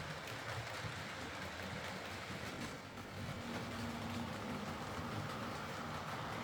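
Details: Hornby R2959 Thompson L1 2-6-4T in BR apple green, running on the layout after greasing the worm gear: steady even rumble and soft rail clatter, no grinding. Earlier forward grinding came from the double gear lifting against the worm through gearbox play; now normal running.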